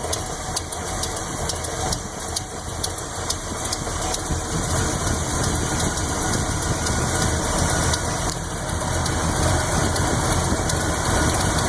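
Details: Chevy 400 V8 (10.5:1, Lunati Voodoo cam, roller-tip rockers) at lumpy idle: sharp lifter tick on the even-side bank, three to four a second. It is faint at 900 rpm and pronounced at 500. Lifters were readjusted twice, at 1/2 and then 5/8 turn, without needing it.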